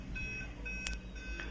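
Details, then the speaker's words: Aquaguard water purifier with its red light stuck on: after some seconds it repeats short high electronic beeps over a low hum, an error blamed on the purity sensor (a light-dependent resistor). "so as you can see the red lights are stuck there and after some seconds it will start beeping"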